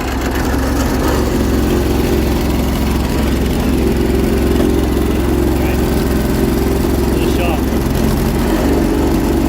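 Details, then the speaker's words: 1980s John Deere 317 garden tractor, small engine run again the next day after cooling down; uneven, lumpy chugging with gaps between firing pulses, sounds like it's running on one cylinder. Misfire, cause not confirmed. "shot kind to run it fny running on one cylinder sounds like it's running on one cylinder"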